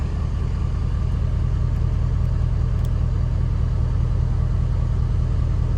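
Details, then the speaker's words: Ford 6.7 Powerstroke diesel just refilled with about 14 quarts of oil and CAT oil filter conversion: smooth steady idle, even low thrum, no clatter or ticking; healthy. "no clickety-clack like I hear a bunch of people saying that they get smooth real smooth it's at 5W30"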